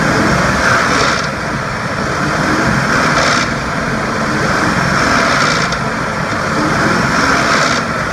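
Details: 2004 Ford F150 5.4L, metallic rattle as revs drop after letting off the gas around 2300-2500 rpm, in drive or park, persists with the belt off; broken timing chain tensioner, fixed with an OEM timing kit and oil pump.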